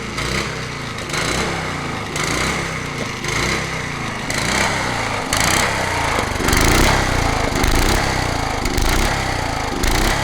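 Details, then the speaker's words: Honda HRH 536 HXE professional mower, running on choke while engaging the blade clutch: rough running with irregular heavy metallic clanks about every second; owner suspects the blade clutch. "un carbu à nettoyé mais bon que là tourne au starter et ça fait un gros bruit métallique au niveau de l'embrayage quand j'active là est au starter"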